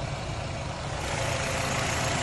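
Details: 2011 Nissan Rogue at idle during PicoScope wand retest of cylinders one to four: steady, even low idle with no stumble or skip; engine running smoothly with no misfire, though a bad coil wire set still needs replacing.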